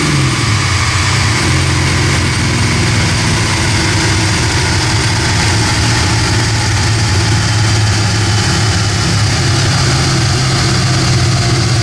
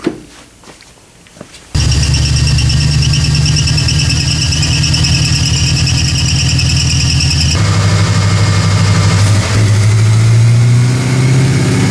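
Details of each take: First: 1979 AMC Spirit AMX, factory 304 V8 (budget rebuild), Brawler carb, T5 5-speed, on a DynoJet at wide open throttle with air cleaner off (gained about 5 hp): loud, even V8 roar climbing smoothly, no misses or knocks; healthy, about 210 hp. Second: 1979 AMC Spirit AMX, budget-rebuilt factory 304 V8, Brawler carburettor, T5 5-speed, warmed-up wide-open pull on DynoJet: heavy pull then a big pop and falter, air-fuel up to 16:1, power lost; lean stumble, needs more jet.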